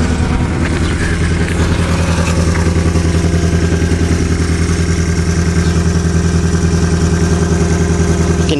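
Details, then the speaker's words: Eagle Summit with 1.8-litre 4G93 engine: loud uneven idle with a lumpy pulse around three to four beats a second from a bad cylinder number two with low compression; head gasket suspected, not confirmed. "so now this thing was dropped off last night it was too dark to make video but what's wrong with it it's got a bad cylinder see what I mean"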